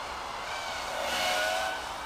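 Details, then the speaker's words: GEPRC KHX5 freestyle FPV quad in flight: steady airy roar with high tones swelling briefly, from its low-pitch props; normal, nothing wrong. "St a listen at the noise yeah that's from those low pitched props"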